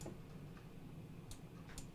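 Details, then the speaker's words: Kenmore refrigerator (10659597990) with the ice maker not working, dispenser cover removed and one micro switch found disconnected: soft clicks and a faint hum as the water valve engages, but no water flow heard. "and it still no water it sounds like the valve's coming on"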